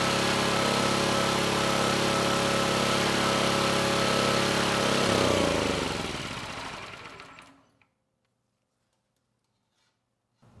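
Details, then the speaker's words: Vintage Kawasaki GA1400A 1200 W generator found in a shed, ignition and low-oil switches disconnected, only coil wire in circuit: even single-cylinder chug at constant speed, then shut off by grounding the coil and winding down smoothly; normal running, no airbox fitted. "I'd say that was pretty conclusive the engine kept running just fine"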